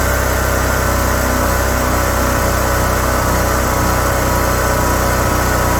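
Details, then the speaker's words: Generator with battery tender, idling in Texas cold after third-try start, loud steady low drone with no misses, surging or knocking; normal idle. "idle. So it should idle. There we go. Okay, let it run for a while."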